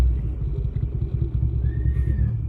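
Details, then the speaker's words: Car with the air conditioning on, at full throttle: deep heavy rumble that stays flat and won't climb in pitch, struggling badly; runs better when the pedal is pumped repeatedly. Owner suspects a bad fuel pump. "Parang hirap na hirap e. Oh, naka-full gas ako niyan."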